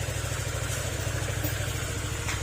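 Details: Honda Click 125 after a top overhaul: the ticking came from the valve guide, rocker arm and valves rather than the crankshaft. Smooth, even low idle with no top-end ticking, only a faint rattle from a loose accessory. Engine idles healthily.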